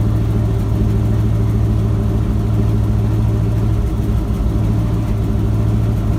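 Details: Ford F-250 with a 7.5L 460 big-block V8 after replacing the starter bypass solenoid for a no-crank, no-start. Deep, steady rumble at an even idle with no misses, knocks or rough patches; idling smoothly and healthy.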